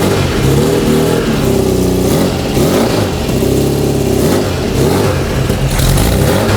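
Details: Freshly built Volkswagen/Porsche type four flat-four on a test stand, distributor drive gear dropped in loosely since fuel injection will replace it, aluminum-finned cylinders built for turbocharging; strong even firing picking up cleanly on each throttle blip and settling smoothly: healthy running.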